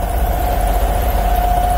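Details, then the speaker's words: Vanair 185 UDEC PTO-driven rotary screw compressor on International 4700 diesel truck after PTO power rewired: steady even mid-pitched hum over low diesel idle; system works fine, normal operation. "i think this system works fine"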